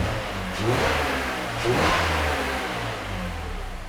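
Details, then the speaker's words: BMW E46 325i Touring M54 straight-six after repairs and a test drive: two quick smooth rev blips, no lifter ticking or misfires, pulling strongly. "so i went for a little test drive and it's sounding much better now the lifter ticking is gone that's really nice the engine is pulling nice and strongly no misfires"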